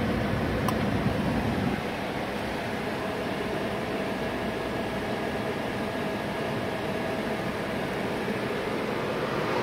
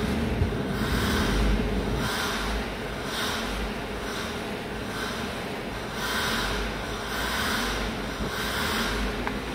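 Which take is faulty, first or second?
second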